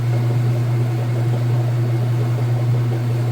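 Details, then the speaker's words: Whirlpool Super Capacity Plus direct-drive top-load washer, three-speed motor, final spin after rinse: steady low even hum, no knocks or scraping as basket gets up to speed; smooth normal spin. "but as you can see it's getting started I'll close this so you can see nice smooth operation sounds great"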